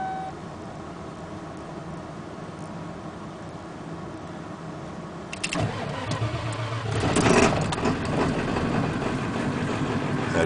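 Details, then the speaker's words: 1995 Ford F250 Powerstroke diesel (7+ liter, five-speed), bone-cold turbo, cold start: brief crank, catches right away and settles into a steady, surprisingly quiet diesel idle; normal healthy cold start. "see it starts right up and uh it's actually actually pretty quiet for a diesel i was surprised"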